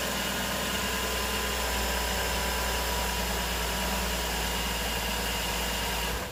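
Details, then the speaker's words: Nissan Murano 3.5L after a new belt is installed and tensioned with the 14 mm pulley bolt locked: a smooth, even idle hum with no chirp or squeal. The belt squeak is fixed. "alright it looks like it's good no noise so this is a fix now is put everything back together"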